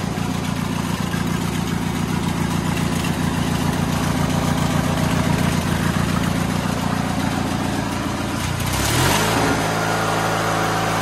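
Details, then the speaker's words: White LT1650 hydro riding mower, Briggs & Stratton twin, after intake change and throttle cable move, checking max RPM, set to about 3500; steady even chug at fast speed, quick throttle change near end; runs smooth, normal running. "Sweet, runs good. So in case you didn't notice by the video, the max RPM range online, they're saying 34 to 36."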